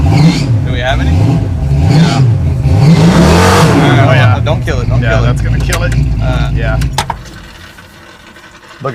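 Engine revs rise and fall freely with no load or pull behind them; the transmission isn't driving, traced to a blocked cooler.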